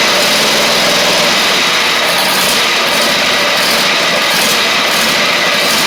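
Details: Husqvarna GTH2654 (Craftsman GT5000 type) lawn tractor twin, first run after gas tank setup, previously running on one cylinder: steady, even buzz at fast idle, no misses or knocks, now firing on both cylinders; heavy exhaust smoke from built-up gunk.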